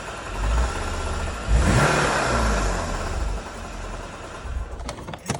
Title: E60 Motorgeräusche